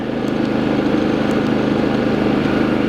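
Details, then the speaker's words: New Predator 3500 inverter generator with zero hours, just pull-started, running with no load (124 V, 0 A) in economy mode; a smooth, even, quiet hum with a steady low drone and no knocks or surging. "put the economy on this thing is quiet very quiet Wow but quiet this thing is"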